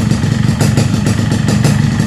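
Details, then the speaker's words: Yamaha RX King at idle after its piston was heat-expanded and pressed to cure slap: a rough idle with a light, regular metallic clatter, quieter than before but still present because the cylinder block is worn loose; mild piston slap. "setelah dibintanginya kita press grup warnanya agak lumayan nya agak mengecil tapi walaupun masih ada kedengeran kedengeran sedikit kan wajarlah karena memang bloknya udah-udah longgar kemarin"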